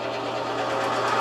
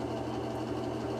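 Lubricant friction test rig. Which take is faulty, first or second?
first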